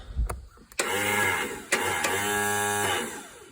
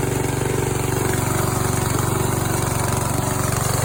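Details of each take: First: Scrapyard Yard Machines riding tractor, 14 hp engine, no fuel yet, new battery fitted: starter whirs freely at a steady high pitch for about two seconds, gear not rising to engage flywheel. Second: Yard Machines tractor 14 hp single-cylinder engine, valves adjusted to 4 and 6, homemade steel flywheel key fitted after keys kept breaking; even, steady thump about three beats a second, no misses or knocks; healthy settled idle.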